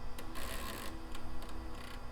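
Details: HP Vectra VL Pentium II 3.5-inch floppy drive at power-on after regreasing, heads possibly sticking: quick irregular ticking and buzzing bursts, heads jerking unevenly; abnormal floppy drive noise, running normally after a few cycles worked the grease in.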